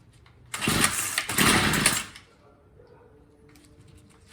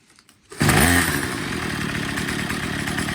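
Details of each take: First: Troy-Bilt TB22 EC weed eater, primed and choked, then on half choke: two ragged sputtering bursts that won't catch; carburettor out of tune, hard starting. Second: Troy-Bilt TB22 EC weed eater after tune-up, cleaned and re-oiled air filter, idle and high-speed screws set by ear for maximum rpm: steady, even high-pitched scream at full throttle with no sag; running great.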